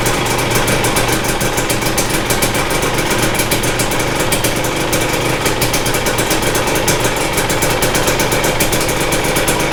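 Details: 2022 Husqvarna TE250i two-stroke at 157 hours, first start after top end rebuild, fuel lines possibly empty: crisp even idle with steady ring-ding crackle, no misses or knocks.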